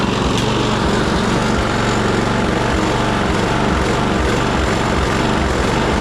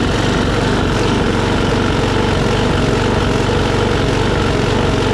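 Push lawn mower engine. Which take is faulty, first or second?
first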